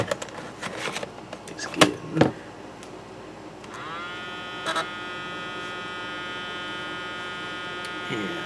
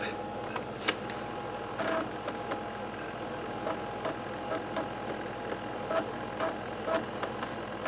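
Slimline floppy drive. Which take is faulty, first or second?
first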